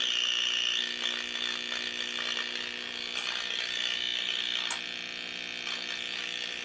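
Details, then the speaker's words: 1934 Grunow 501 five-tube transformerless radio brought up to 100 volts with tube shields fitted and layout 78, 6F7, 75, 43, 25Z5 checked; hissy crackling wash with faint garbled stations, receiving but badly distorted, cause not found: distorted audio with faint stations. "can kind of hear talk and hear that doesn't go very loud what that tells me is that it is picking up signal it is processing signal although it's distorting the living daylights out of it"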